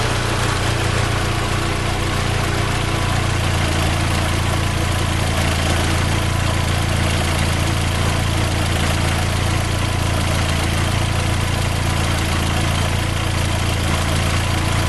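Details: Fiat Palio 2010 1.4 8V Fire petrol engine, in for a tec-tec engine noise, idling warm after coolant flush work: steady, even hum with no tapping or knocking; normal, healthy idle.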